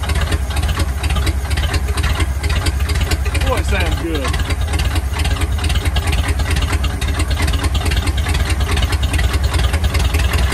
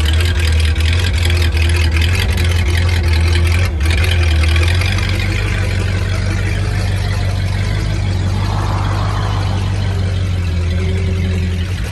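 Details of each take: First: 1950 Ford flathead V8 truck, first start after about 40 years, gunk from freeing it still inside, throttle being worked: low, uneven chug with a ragged beat. Runs rough; a little smoke, not bad. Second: 1950 Ford flathead V8 flatbed dump truck, revived after sitting about 40 years, rolling at low speed around the yard: deep, smooth, steady rumble with no knocks or misfires. Drives pretty good; the engine runs healthy.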